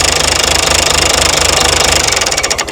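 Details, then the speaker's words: Mystery old six-cylinder Perkins turbo diesel from a farm, no history, shut down by pulling power to the electric fuel cutoff on the injector pump: even clatter holds, then slows and dies in the last half second; clean normal shutdown. "pull the wire off the power on the injector pump. Pop the power off."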